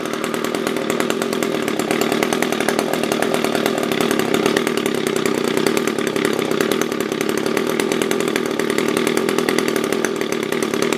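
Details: SRM-210 trimmer after carb replacement with new filter, plug, fresh gas and handle: steady high two-stroke buzz holding an even pitch throughout without misses or hunting; normal running.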